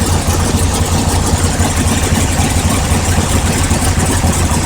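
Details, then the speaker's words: 1955 Chevy V8 with a newly fitted, untested tunnel ram and FST carbs, distributor locked out on vacuum: deep, steady burble with an even beat but a fast idle; the mixture is probably a bit rich. "all right the cool it it runs a little fast it's probably a little fat if it is running like that"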